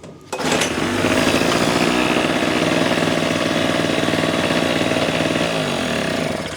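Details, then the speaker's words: Small two-stroke engine after no-start diagnosis, fuel on, choke on start position, pull-started: catches on first pull and settles into a steady buzzy run of about three firings a second; starts and runs cleanly. "pull, it fires right up, no issues."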